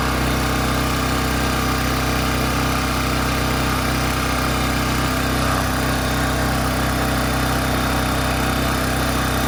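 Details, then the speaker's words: AC Delco 3500-watt generator, cold start after no-spark diagnosis and carburetor fixes, steady even small-engine drone at constant speed with no misses or surging; normal running. "buretor issues had to work out but um it is running now and it's actually a cold start"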